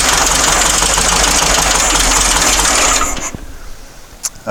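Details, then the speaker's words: Dune buggy after a new fuel pump pushrod install. Engine runs ragged about three seconds, then sags and dies instead of idling. No. 4 spark plug was found unhooked. "so it starts it doesn't run it runs better it doesn't idle ac"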